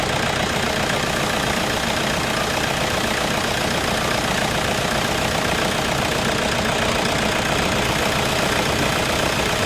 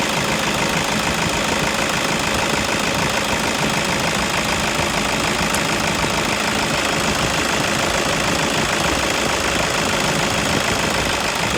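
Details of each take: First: Toyota Innova at idle after replacing the alternator pulley that caused a tick-tick noise; steady even idle, smooth hum, no tick from the front accessory drive; normal idle, repaired. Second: Toyota Innova at idle with a customer complaint of tick-tick noise: fast light ticking, about three per second, traced to the alternator pulley.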